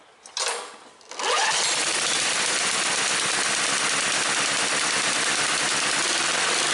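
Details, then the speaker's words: Snapper commercial mower engine, cold, with a new HIPA aftermarket carburetor, started on choke: catches on one pull into a fast, steady, even buzz with no misses or knocks, then smooth idle; normal cold start. "I'm going to pull it to idle. Got a really super smooth idle, and now I'm going to go from idle to wide open throttle, and mind you, the engine is cold."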